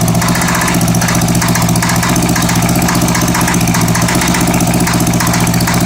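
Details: Honda Goldwing GL1100 flat-four at a lumpy idle, with plug wires pulled one at a time (No. 3 stalls it, No. 2 makes no change, smoke only from the right side): a loose metallic rattle at about three beats a second that went away, then returned. Source unknown.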